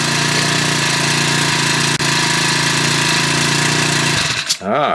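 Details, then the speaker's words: Honda WX10 water pump, around 10 or more years old, after carburetor repair, briefly run without the pump hose attached: fast even buzzing single-cylinder run with no stumbling or surging until shut off; starts better than before, runs fine. "but uh anyway that starts better than did before runs fine"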